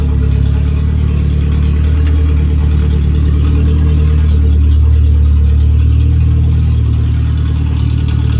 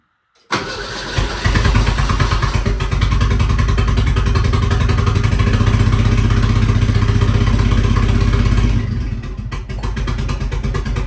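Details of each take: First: 1959 Mercedes body on an '87 Thunderbird Turbo Coupe chassis, after fixing the earlier misfire and backfire. Deep, steady four-cylinder idle with an even pulse and no pops, stumbles or backfires. Runs cleanly. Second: 1959 Mercedes body on an '87 Ford Thunderbird Turbo Coupe chassis, first start in about 30 years after priming the fuel pump. It cranks, catches, then runs loud and lumpy with a stumbling beat: misfire from the wrong firing order.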